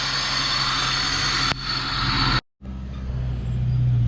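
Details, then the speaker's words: Honda Civic after service and new coil, just started: steady even petrol idle with no misses, knocks or ticks, brief dropout then smooth; started straight away with plenty of spark, running healthy. "right so as you saw when I started it up started up straight away you know nothing wrong you saw that we have plenty of spark on the tool the car sounded nice"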